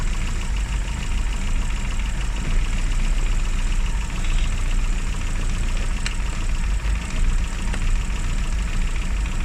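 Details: Classic Mini (Riley Elf) with points ignition, idling after a hard cold start on the year's coldest day, following about three months unused: steady low rumble, even beat, smooth tickover, no knocks or misses. Advice: after a lay-up, run at least 30 minutes.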